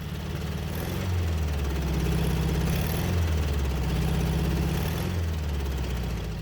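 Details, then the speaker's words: 1967 VW Beetle revived after long storage, after valve train correction: deep uneven idle with a lumpy knock about three times a second and chuffing at the carburetor. The owner suspects cylinder 1; the cause is not confirmed. "You can hear that knock. Definitely on cylinder 1. It's pulsing through the carburetor pretty bad too."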